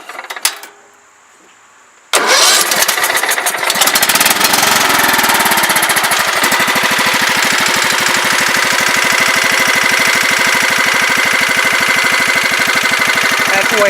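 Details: Long-sitting riding mower engine after carb cleaning and sanding/greasing rusty key switch terminals that caused no-start: two quiet seconds, then catches at once and settles into steady, even idle; starts fine.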